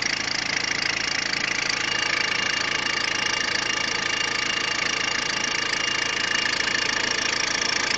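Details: Peugeot 106 1.5 diesel (11/2002), 130,000 km, timing belt done at 73,000 km: steady idle with a fast, even ticking clatter of roughly three per second on top; abnormal engine noise, cause not identified.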